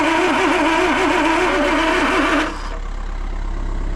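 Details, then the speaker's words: Land Rover 2.25 petrol with refurbished Zenith carb, new distributor, coil, HT leads, solenoid, lift pump and starter, choke fully open: steady cranking about four turns a second, no firing; spark present, fuel delivery suspected. "Not happening, is it? Doesn't even sound like it's firing. Weird that."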